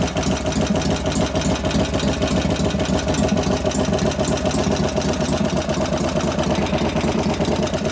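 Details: 1988 Harley FXR V-twin after cam change and pushrod adjustment, idling in neutral: loping idle with fast light ticking tracking engine speed; a hydraulic lifter or two noisy, location unclear, maybe slightly louder at front.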